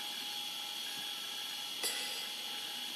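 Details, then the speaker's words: IBM ThinkPad 380D laptop booting Windows 98: constant thin high-pitched whine with hiss and one click from the hard disk; very noisy drive suspected to be failing. "oh my goodness, I really don't like the sound of that disk drive at all. It looks like it's, sounds like it's not long for"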